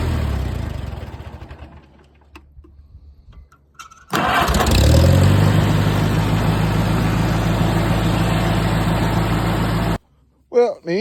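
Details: Farmall 230 tractor, first start after setting points, 6V-to-12V conversion and ballast resistor work, carburettor untouched: after a short crank it catches and settles into a steady, even low rumble with no misses; runs great.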